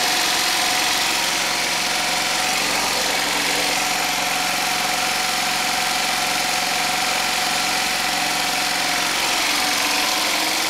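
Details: Homemade 12V DC generator: small single-cylinder engine driving an alternator, running with battery bank and inverter, exhaust piped through a muffler under the garage door; steady constant-speed drone and hum, no knocks or surging; normal running.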